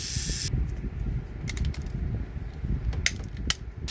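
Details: Trackmaster toy train motor after repair with a new gear, worm gear and reduction gear: steady whirring of the small electric motor and gear train with light clicks and no skipping or knocking.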